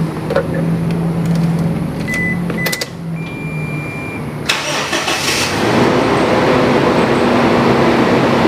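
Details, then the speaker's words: Toyota Innova petrol, first start after battery replacement: short cranking, catches cleanly and settles into a steady, even idle; healthy start with no hesitation. "Sekarang waktunya kita starter mobil."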